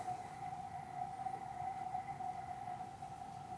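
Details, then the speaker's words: NEMA23 180W 3000 rpm easy servo motor being tuned for a lathe electronic leadscrew: steady thin tone near 750 Hz as stiffness gain reaches 13, right on the edge of instability, so it's backed down to 12. "nope nope i can hear it's right on the edge snuck that back to 12. it's still not super stiff but it's better than the"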